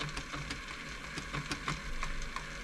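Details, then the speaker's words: Elna Club Computer 500 sewing machine running: a quick irregular run of soft clunks, several per second, from its two stepper motors (needle zigzag and feed dog forward/backward). Normal operation. "you got two step Motors one sends the needle sideways which is here this is what the zigzag step motor and you got another one behind this which moves your feed dog forwards and backwards that's the clunking you can hear"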